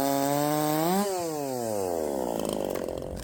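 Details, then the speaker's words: 372XP clone chainsaw on stock ignition timing, in the cut: screams high, then pitch sags and stays low, bogging and short of power, peaking only about 10,000 rpm; timing not yet advanced, cause suspected, not confirmed. "okay so the highest I saw it was 10 000 RPMs in the cut that's pathetic let's go uh Advance the out of that timing"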